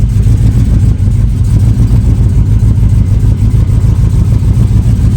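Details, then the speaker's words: Project V8 with a new S10 master cylinder and Malibu booster; loud deep idle with uneven loping beat and irregular stumbles, missing on about three cylinders. "I mean, it's got that cool hot roddy lope to it, but it's because it's missing."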